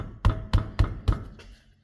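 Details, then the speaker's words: Ford Freestar front steering, wheel rocked by hand: four sharp hollow clunks about a quarter second apart; both tie rod ends loose, being replaced. "Now, I'm going to be doing both tie rods. They're actually both loose, interestingly enough."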